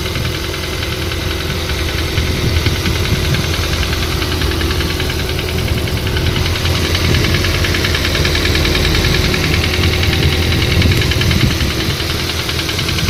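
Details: Nissan CR14DE engine at cold idle on a cool morning: dull, uneven knock about two or three per second under the hum, disappearing when belt tensioner is released; verdict faulty VVT-i phaser clutch.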